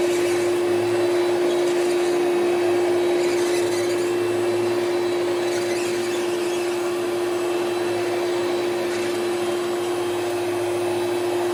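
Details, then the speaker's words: Hoover Celebrity QS vacuum on high speed after top motor bushing was lightly lubricated: loud steady single-pitch whine, no surging, still strained, poor on wind-down; bushing suspected, needs dismantling; motor whine. "yeah as we can hear it it's not as bad as it was but it's still not very great it's it still doesn't sound very great when you when it winds down"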